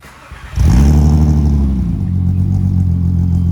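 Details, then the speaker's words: Fully rebuilt VW GTI VR6 with a new exhaust, starts and settles into a deep smooth even idle with low rumble and no knocks; much quieter, not obnoxious, healthy exhaust note. "nice that sounds way better damn that sounds good sweet that makes me happy the exhaust sounds good it's not obnoxious"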